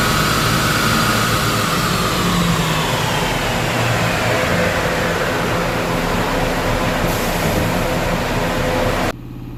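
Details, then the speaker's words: Subaru EJ255/EJ257 turbo on dyno, warmed up, low-boost full-throttle pull after fixing cylinder 2 misfire (coil pack; customer-installed plug found broken). Clean rising roar, no stumbles or popping; smoother, cleaner air-fuel, more power; firing evenly. "but there was all kinds of wonky misfires going on earlier. So you can see through here, way smoother. The air fuel is much cleaner."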